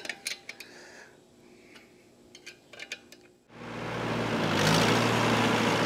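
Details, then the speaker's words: New Holland Super 78 wire-tie baler from about 1958–59, slip clutch fitted with new friction plates and run from the tractor PTO after the springs are tightened one more full turn: light ticks, then a loud steady friction roar. At full speed it slips about two seconds before catching. "so when i kick it on like full speed it takes probably i don't know two seconds or so before this catch"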